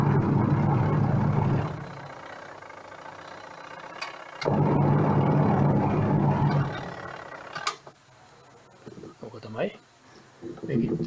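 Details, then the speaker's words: Leaking washing machine whose motor jumped and slipped, tested after replacing the part and tightening the bolt. Low motor hum in even bursts as the drum agitates back and forth, no grinding or slipping; runs normally after repair. "Test කරලා බලමු. වැඩ කරනවා. පේන විදිහට වැඩ කරනවා."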